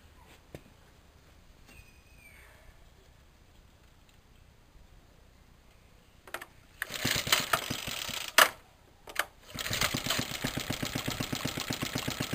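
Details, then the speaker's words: Suffolk stationary engine in a compressor set, first test run after mounting the compressor with a new pulley and a temporary belt. Quiet start, then a steady even beat of about four pulses a second, running cleanly as tank pressure builds. "I can already see it moving the pressure gauge on the tank, so that's brilliant."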